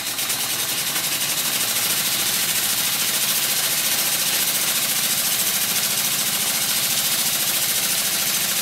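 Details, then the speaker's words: Circa-1896 model steam engine on live steam from a boiler, running well once water clears from the cylinder, run at very high speed; fast, even chuffing with constant steam hiss from the dummy piston rod gland, no knocks; normal running. "And as soon as the water clears from the cylinder, it starts to run, and it runs very well."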